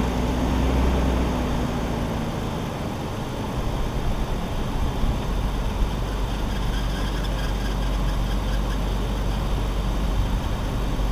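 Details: BMW E46 idling right after first start following three months sitting, plugs reinstalled with oil poured into the cylinders; steady, even low rumble with no misses, knocks or hunting, a little blue smoke from the exhaust dump due to that oil.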